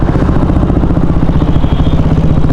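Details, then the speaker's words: KTM Duke 390 BS4 single-cylinder after a road trip, at idle: fast, regular light ticking louder than normal for a KTM engine; owner suspects the cam chain tensioner. "देखे normal noise होती है KTM engine में but इतनी भी नहीं होती देख सकते हो टिक टिक टिक जैसी आवाज आ रही है"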